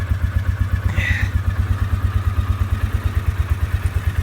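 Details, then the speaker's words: 2003 Polaris Sportsman ATV, 2,700 miles, sat five days, started cold and warmed about five minutes, choke now off: even, low thumping at a settled idle with no knocks or misses; idles down normally, still a little cold. "Yeah, idles right down. It sounds like it's gonna. It's a little cold."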